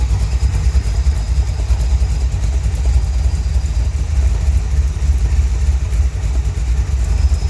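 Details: 1971 Chevrolet Cheyenne, factory big-block 454 V8 on Jegs Bandit EFI, first start, cam believed broken in, rear jacked up; idle with sharp ticking puff on each exhaust pulse, about three a second. Header leak at number two cylinder.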